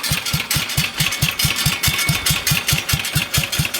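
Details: 1966 Bolens 1050 with a loud upright muffler: a slow, regular thumping about four beats a second with crisp exhaust pops, a nice low, steady idle from a healthy engine.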